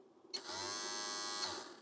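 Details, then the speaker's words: Apple Disk II floppy drive under repair, its motor run on a bench power supply: a high, even whine spins up, holds about a second, then cuts off. The motor runs way too fast, a fault in the speed control. "all right bench supply is hooked up let me turn this on okay there it was running super fast could you hear that"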